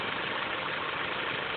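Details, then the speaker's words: Mitsubishi Inspira 2.0 / Lancer GT after replacing a broken engine mount, recorded inside the car with the aircon off: steady, even idle with a smooth hiss and no droning or humming, much quieter than before. "Alright, very much more silent compared to previously."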